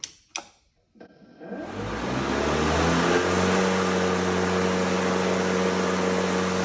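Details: Ryobi 40V brushless 20-inch cordless self-propelled mower, newly assembled with side chute removed, lever pulled back and blades engaged: a couple of clicks, then the motor spins up smoothly into a steady, even, healthy hum and whir.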